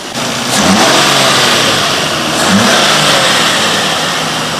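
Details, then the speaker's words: Nissan Skyline R34 starting and revving for the first time after sitting five years, after a fuel pump replacement and a solar-charged battery: it catches, rises cleanly through two blips and settles, with no knocking or ticking, running smooth. "After 5 years of the car sitting, and it sounds good. There's no knocking, there's no ticking. This car is running so smooth."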